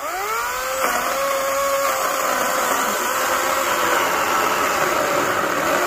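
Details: Greenworks 80V battery chainsaw cutting mostly oak sawmill slabs: motor whine drops in pitch as the chain bites, then holds a steady buzzing cut; normal operation.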